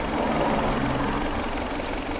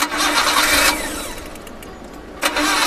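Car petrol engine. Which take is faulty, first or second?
second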